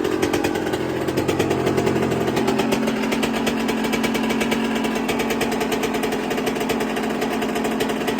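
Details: 1999/2002 Yamaha YZ125 converted to YZ144 two-stroke, first start after full restoration and carb rebuild kit, long-sat: crisp rapid crackle at a steady fast idle, even firing with no stumbling or bogging; normal running.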